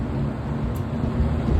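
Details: Vintage Kmart box fan, motor make unknown, one broken grille slot, running on high speed: steady airy rush with low, even motor hum, no ticking, rubbing or wobble; normal running.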